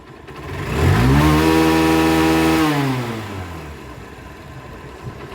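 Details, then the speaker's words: Old Hero Honda CBZ Xtreme after engine work (~200 km since) and tappet adjustment, previously bad engine sound: blips to smooth clean rev and back to idle, no knocks or rattles; sound now 100% accurate, normal revving. "আলহামদুলিল্লাহ বাইকের সাউন্ড 100% অ্যাকুরেট।"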